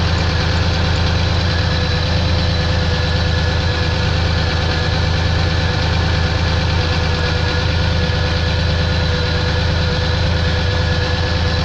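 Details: Pontiac engine at steady idle with a constant light rapping knock, roughly three per second, over the engine drone; internal knock, cause not pinned down.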